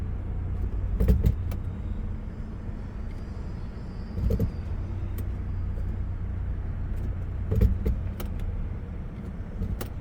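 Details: 1997 Lexus LX 450 idling: sharp single clunks every few seconds over low rumble as selector shifts from reverse to drive; driveline clunk.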